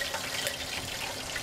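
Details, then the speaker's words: Waste motor oil distillation still, heated reactor with reduced reflux, temperature around 310 °C, controller set 410 °C: hissing, bubbling boil with sharp pops as water droplets in the collected oil flash to steam. "so I decided to reduce the amount of reflux within the reactor now you can hear there some"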